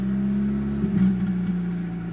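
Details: VW AZH engine: idle slightly uneven and wavering, then a short rev blip; misfire, cause not pinned down.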